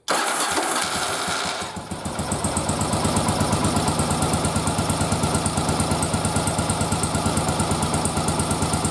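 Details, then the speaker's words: Old Yamaha XV920 twin, bench-synced, on a running carb sync check with a loop-tube manometer. After a rough start it settles into a loping, slightly uneven idle; the carbs read well out of sync. "all right so as we can see it's off quite a bit I put my fingers up there just in case you couldn't see"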